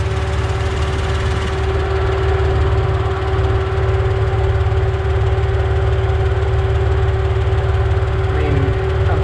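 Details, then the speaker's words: 4.0 engine at operating temperature after engine lockup: loud low idle with uneven pulsing beat and a light tick, louder than its usual 4.0 tick; engine shaking hard, owner suspects one dead cylinder, no check engine light. "you guys can see we got a nice vibration going on [Music] the thing is jumping all over the place and it's not supposed to do that so yeah hopefully we're down one cylinder"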